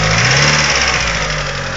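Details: Mitsubishi 2G DSM engine at idle: light, fast lifter tick riding over the engine note, from a noisy hydraulic lifter; later fixed by installing upgraded 3G lifters.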